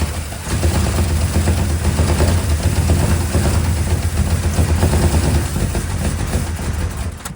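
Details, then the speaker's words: Square body Chevy 350 small block, broken starter bolt hole fixed with a stud, just rewired to firing order 18436572: catches and chugs unevenly with sharp cracks, then bangs and dies. Backfire on startup. "Oh, big backfire. again? All right, there's a little more. It's still backfiring."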